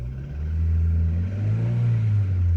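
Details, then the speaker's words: Car engine after fitting a new coil and fixing a bad connector. It revs with a deep, even rumble and no missing beats, but stays coarse, still rough from a known valve problem. Running without misfire, still rough. "Lovely. That sounds 100% better. So, I am happy we have now got a coil and an engine that works again. It sounds like a pig, but it's not misfiring."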